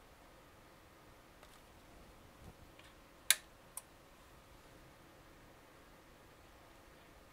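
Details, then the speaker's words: NPN transistor with floating collector and base shorted to 5 V input, emitter to ground: faint ticks then a sharp crisp pop and a smaller one as the overloaded transistor fails. "these aren't really meant to heat up too much so we may not get too much but uh if you didn't hear it there's a little pop of dismay basically that killed the transistor very quickly"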